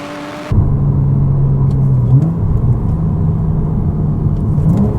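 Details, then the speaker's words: Porsche Cayman S 987 salvage rebuild with its exhaust system, accelerating from about 4,500 rpm to the redline: a deep, steady, throaty note rising in pitch with revs, no rattles or misses; healthy exhaust, with a slight drone only around 2,500 rpm. "but where this exhaust really shines is 4 and 1/2 all the way to the red line"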